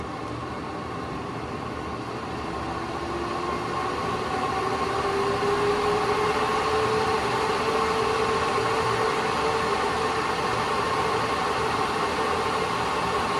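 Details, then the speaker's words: AC Infinity garage vent fan, switched from speed 5 to Jet mode: a steady airy whoosh whose faint tone rises slightly as it spins up, then holds even; normal running at top speed. "I know you can't see that but it's blowing quite a bit of air let's set it to Jet mode"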